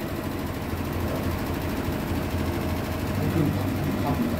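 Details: Hitachi SF-120HJ top-load washer, treated for a loud spin, now with new 65 cm shocks replacing the 66 cm originals. An even low hum comes as the drum spins, with no thumping or banging against the cabinet; the spin sounds smooth and settled.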